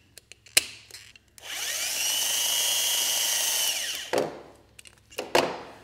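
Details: Starter motor removed and bench-run, its solenoid triggered straight from the battery: a steady high-pitched electric whir spins up, holds about two seconds, then winds down, a healthy free-spinning starter.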